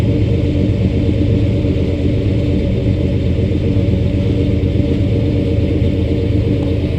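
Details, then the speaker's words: 1991 Chevrolet Suburban V2500 4x4 5.7 L 350 V8 at warm idle, uneven stumbling exhaust beat, sputters and stalls after an hour-long drive; misfire ultimately fixed by replacing a faulty ignition coil after cap, rotor, module, plug wires and fuel filter didn't help. "I don't know if you can hear that but it kind of sounds like it's missing or it's not getting enough power oh there it goes see idle it just kind of stops"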